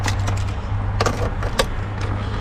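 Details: BMW E90 523i that barely started, after cloning the CAS3 module: starts and idles properly with a steady, even low hum, no stumbling or misfire, just a few light clicks; no warning lights afterward.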